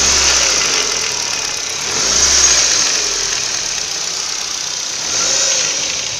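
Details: Ford Focus 1.6 8-valve at idle: steady idle under a loud hiss with a faint knock running through it; engine knock, source not pinned down.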